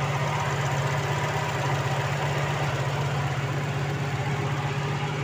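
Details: 1988 Opel Kadett 1300cc four-cylinder (engine tends to overheat), started and revved, fairly cool: smooth, even engine note with steady low hum, no knocks, misses or rattles; normal running.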